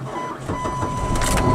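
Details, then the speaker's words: 2001 PT Cruiser cold start at -26°F (-32.2°C), owner distrusts its battery, last run a few hours earlier: labored, uneven cranking barely catches, then a rough, rising run with a thin whine; hard cold start, cause unconfirmed. "baby barely started let me see I got well just about three quarters I might leave this car on"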